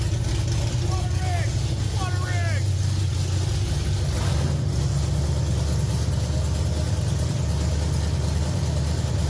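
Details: Budget dirt late model race car V8 on first start after about three years, on a two-barrel carb with no throttle spring, slightly smoky. It caught straight away into a deep, steady rumble with no knocks, misses or hunting: normal idle.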